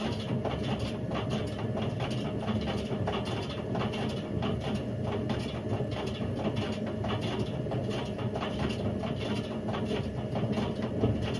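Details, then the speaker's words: Indesit IWC71453 UKN 7 kg washing machine found dumped, brown oily residue inside, belt fell off; test spin aiming for 1400 rpm gives a constant heavy rumbling roar with rough gritty swish; drum bearings completely gone, drum eating into the plastic tub. "So the bearings have completely gone on this. To the point where the drum's just eating away at the plastic, and you know, you can't really do much of this. The bearings are gone."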